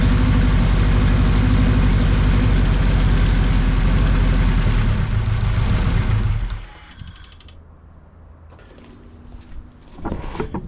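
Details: KRX first start after a budget 500HP+ fuel system upgrade, recorded from outside on a tripod: loud, steady, even run at about four beats a second, then shut off, running cleanly.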